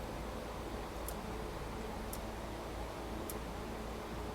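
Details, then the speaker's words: Porsche 911 under restoration, electrical system check: the windshield wiper motor runs on high speed with a soft steady hum and a light click about once a second as the arms reverse. Wiper motor working correctly. "that's off and then we know medium speed or high speed okay so everything's working correctly"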